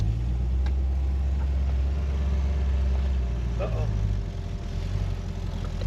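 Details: Rebuilt engine on break-in oil, radiator temporarily installed, some coolant leaking: deep, steady idle rumble with even beat, no misses or knocks; starts and runs well, engine sounds healthy.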